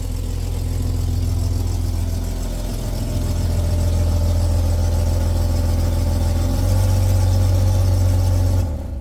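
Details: Jeep Grand Cherokee WJ 4.0L inline-six after two days of repairs, without a cracked cylinder head: steady low idle with fast even puffing pulse and slight rise partway through, exhaust leaking through a rusted hole.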